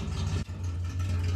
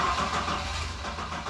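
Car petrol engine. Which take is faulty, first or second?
second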